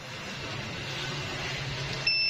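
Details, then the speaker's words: Android set-top box dead, on multimeter continuity across SMD electrolytic capacitor legs in circuit: steady high continuity beep in both probe directions near the end; suspected short, capacitor to be removed and checked. "Nih di kaki elko ini. Nih, kita bolak-balikan, ini berbunyi teman-teman."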